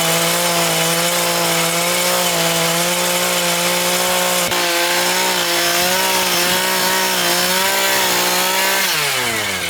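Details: Homelite 26cc two-stroke mini tiller that sat outdoors for years, after the gummed carburetor and tank were cleaned and fresh fuel added: it holds a strong, even buzz at high speed, then drops smoothly off throttle. It runs clean and healthy.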